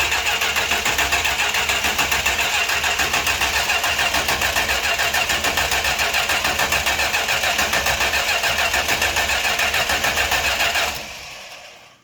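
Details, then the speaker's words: 1968 Chrysler Newport Custom with a newly fitted Holley Sniper EFI, not run in a long time. The starter churns at an even three to four beats a second for about eleven seconds and never catches: a crank signal is seen, but no start. "dude we got crank signal that no fire in the pipes yet though let's hit her once more"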